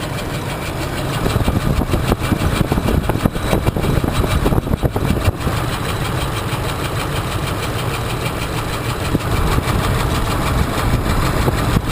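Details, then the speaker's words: 2004/2005 Ford Expedition three-valve V8 idling: fast sharp metallic clacking heard by stethoscope under one valve cover, first suspected cam phaser; a broken cylinder 3 lifter had thrown the rocker arm, dropping the valve and destroying the camshaft. "so you can definitely hear the clacking with the stethoscope coming out from underneath that valve cover"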